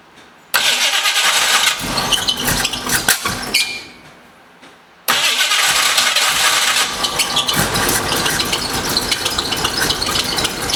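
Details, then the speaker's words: 1968 Ford Mustang, fairly fresh battery, timing taken back slightly; cranks, sputters, briefly catches then chugs unevenly without running; no-start later traced to low ignition coil voltage. "as you saw a little earlier had the car kind of chugging and sort of burp into life um still not running proper properly still not running really"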